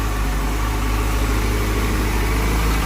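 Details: Motorcycle left idling after replacement of a failed cheap Chinese rectifier behind a burnt connector, charging about 14.4 V, checking for voltage spikes. Even, steady low hum with no knocks, misses or ticking; smooth, healthy idle.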